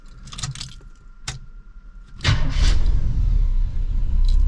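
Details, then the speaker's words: Squarebody ramp truck that would not restart when warm, after replacing the failing starter: warm restart with a click, short crank, instant fire and steady lumpy V8 idle; later restarts fine at 190°; normal warm start. "oh man I think I fixed it the only thing to do is to drive it and get it up to Temp 190 and and uh try and start it back up see what happens"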